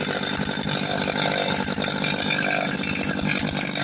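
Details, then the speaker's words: 160 cc two-stroke brush cutter after refitting clutch parts that had been installed backwards: high-pitched buzz steady with quick blips, no rattle or scraping. Normal running after repair. "tava feio velho tava em virada as pecinhas tava virada ao contrário coloquei certinho aqui agora Zerou Zerou"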